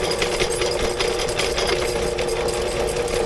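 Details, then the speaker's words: Drain cleaning machine running properly while feeding its cable out into a sewer line after an earlier stuck attempt: steady motor whir with quick, even rattle from the spinning drum, no bogging or grinding; normal operation. "okay shouldn't have gotten stuck right now is it feeding it out yeah yeah or is it burning oh it's feeding it out yeah it's coming out you can watch it look at it"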